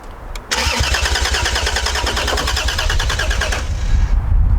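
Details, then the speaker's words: Toyota Supra turbo six, first start attempt in 15 years, WD40 sprayed as starting fluid, clicking jump battery pack and dodgy immobilizer; fast, even starter churning for about three seconds, never catching. Crank, no start; cause unconfirmed. "um but there's a lot of things against us uh dodgy immobilizer battery pack that's clicking in and out and sure yeah nothing"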